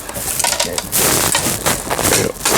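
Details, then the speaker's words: Elna sewing machine (Janome line) that had jammed forward/reverse and pattern dial, after a failed DIY disassembly and shop repair: irregular dry clattering bursts from a screw that came loose inside. "اب آپ جو کھڑکھڑانے والی آواز سن رہے ہیں وہ ایک پیچ کے ڈھیلے ہونے کی وجہ سے ہے۔"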